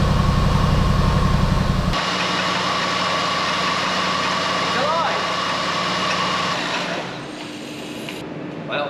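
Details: Flood-damaged Jaguar XK V8 from Copart, first start on a battery pack: fires up and settles into a smooth, even idle with a steady low burble, no knocks or misfires; engine runs.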